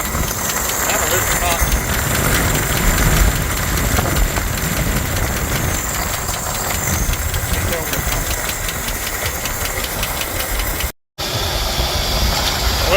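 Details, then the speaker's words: 1985 Jeep CJ-7 after a cooling system refresh, overheated after 15 minutes with coolant blasting from an unsealed cap: fast, light ticking over a rough, uneven hot idle; source uncertain, water pump suspected. "It sounds like it's knocking or ticking. All right, I'm gonna let it cool down."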